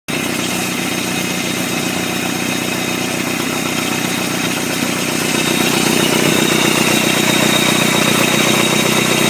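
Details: 1999 Chevy S10 2.2 four-cylinder, 5-speed, rebuilt engine that always stuttered: harsh raspy running with a steady knock about four times a second rising with revs; suspected rod knock, not confirmed.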